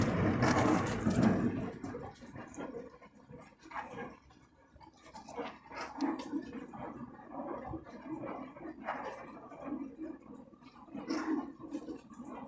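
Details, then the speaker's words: Beko dishwasher running: irregular gurgling, slurping surges a couple per second, like drain or sump sucking air; not washing properly, smelly, cause unknown. "I don't know if you can hear it. Yeah, like sucking noise."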